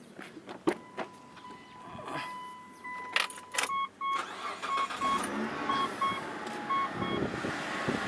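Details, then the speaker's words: Mitsubishi Pajero engine idling with a short, high squeak about once a second; owner suspects the idler pulley bearing and replaces the idle pulley. "I observed there is a abnormal uh noise from my Mitsubishi Pajero there's a noise in the engine I don't know uh I suspected that uh the noise from from the idle pulley"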